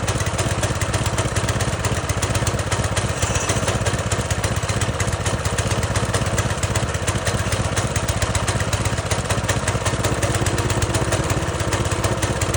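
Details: Fairly new pressure washer small single-cylinder engine, just started after replacing the carburetor that old bad gasoline had fouled and draining the fuel tank. Holds a steady, even beat with no surging or stumbling; runs properly.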